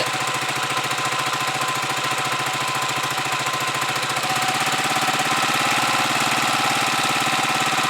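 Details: Huoniao HN125 single-cylinder motorcycle with a newly fitted replacement carb, warming up after a cold start with the choke off and the idle screw turned up a bit. It gives a quick, even putter that rises slightly as it warms and runs cleanly. Normal warm-up idle.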